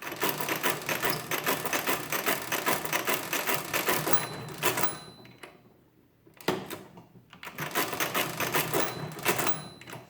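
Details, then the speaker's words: Marchant KE mechanical calculator after full rebuild: rapid even clatter of clicks, about two or three a second, pausing and resuming smoothly; operation very smooth, everything works, normal calculating cycle. "i'm definitely satisfied with how this came out it's nice and smooth everything works this is really smooth i like that operation is very smooth"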